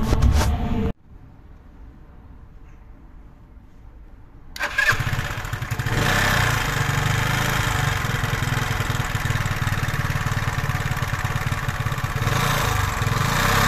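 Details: 125cc scooter engine first start after valve clearance and timing adjustment, cam chain tensioner work, rocker arm replacement and 0.75 L of fresh oil: starts after a short crank and settles into an even idle with no ticking, running cleanly.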